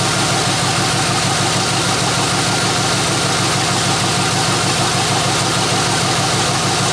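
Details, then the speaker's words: 1993 Chevrolet C1500 V8 after tune-up with new plugs and throttle body spacer, running on open headers with no exhaust fitted: loud raspy idle, steady even beat about three pulses a second, no misses or knocks; normal idle. "throttle body spacer right now it's open headers obviously because the exhaust is not on"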